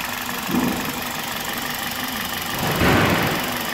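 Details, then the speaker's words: 2005 Toyota Corolla gasoline engine idling after a partial rebuild (meia-sola), microphone held near the engine, following a long crank because the fuel line was dry. A steady, even, smooth idle with no knocking; the engine runs sweetly. "Beleza, né, turma? O motor tá ficando redondinho, cara. Olha que beleza."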